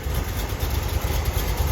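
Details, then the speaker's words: 1971 Corvette, rebuilt numbers-matching V8 with a cam, at low idle, heard at the engine bay. Deep, even rumble with steady firing pulses, no knocks or misses; perfectly tuned. "Just perfectly tuned. It has that nice low idle, which gives it that throaty sound."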